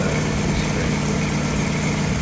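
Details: 1963 Corvette Split Window not run since 1981, after the distributor vacuum advance was sorted out: a steady, even idle with a smooth low beat and no misses or stumbles; normal idle.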